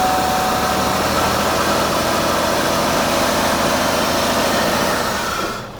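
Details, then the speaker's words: 2002 Buick LeSabre, 158,000 miles, started briefly with no coolant: loud, hissy idle with an uneven, stumbling beat, at least two cylinders not firing and antifreeze-smelling exhaust; combustion gas test planned. "So, currently at least two cylinders are not firing and the exhaust smells like antifreeze."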